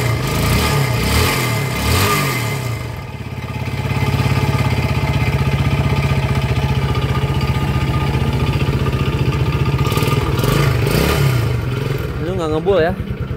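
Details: Yamaha Jupiter Z, before repair, kick-started because the battery seems dead, dry exhaust; rough idle with a regular deep knock on each firing that rises with throttle blips; worn connecting rod knock.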